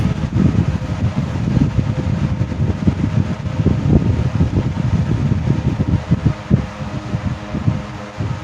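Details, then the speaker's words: 1970s 16-inch Toastmaster box fan with replacement 1940s desk-fan blade set, freshly oiled, on low speed: soft even low rumble with gentle fluttering whoosh, no scrape or rattle; normal running. "Pretty sure that you see the camera there swaying around. In other words, it's got some air volume to it."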